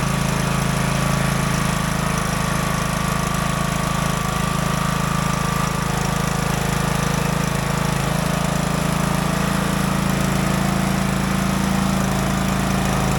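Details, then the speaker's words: Craftsman DLT 3000 riding mower, about 2010-2015, after engine repair and reassembly; an even, steady single-cylinder beat at roughly four pulses a second with no knocks or misses while tested through the gears, healthy. "All right, good. All the gears seem to work. Everything seems to be fine with the motor, so that's good."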